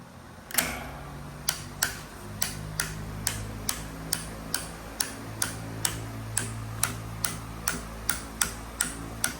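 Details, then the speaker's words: Common Chinese fan that runs but won't oscillate: sharp metallic ticks about twice a second over a low motor hum, oscillation gearbox knocking; mechanism apparently reassembled upside down, possibly after earlier disassembly. "Bueno, aquí el problema que tenemos, no sé si lo habían desarmado anteriormente, la verdad, pero me marca que el mecanismo al parecer está al revés."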